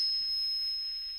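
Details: Luxury-6 analog mixer with the mid-frequency EQ boosted and swept: a pure, steady whistle around five kilohertz that slowly fades, PA acoustic feedback ringing through the speaker. Cutting that frequency removes the feedback.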